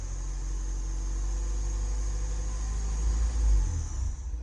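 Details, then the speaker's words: 2012 Ford Fusion 2.5L, no codes at first, stalls when accelerating: low rumble turns uneven and sags as throttle opens slowly, then dies as MAF reads only 0.01 lb/s near 2,000 rpm; MAF suspected, also throttle body, pedal sensor or fuel pressure. "and then it dies we just registered 01 lbs per second as we got closer to 2,000 rpms"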